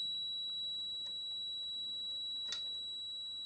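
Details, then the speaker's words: Philips Model 148 tube radio restoration after tube replacement, radio deaf: continuity tester holds steady high-pitched tone, short to ground still present after removing capacitor and tube. "nnects to and it's still showing a short where you can hear it okay so it's not the capacitor good let me start removing things from there"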